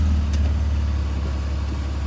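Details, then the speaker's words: BMW E46 with M54 engine, after repair with a fixed torque converter: idle in Park gives a smooth, low, even hum with no knocks or clunks; the foreign noise is gone. "Как вы могли слышать звука постороннего нет Звук посторонний устранён найден устранён"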